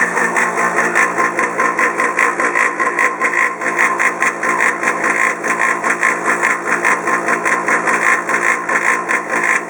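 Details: Polaris PB4-60Q quiet-model pool booster pump for a Polaris 380 cleaner, a few years old: loud harsh buzzing roar pulsing two or three times a second, audible over 100 ft away in an enclosure.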